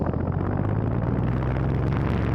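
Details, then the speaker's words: Usha Farrata 500mm pedestal fan running, heard from the front: steady even low whoosh of blade airflow with no ticking, rubbing or wobble; normal, healthy blade noise. "अब जो आवाज़ आपको आ रही है ये है blade की आवाज़।"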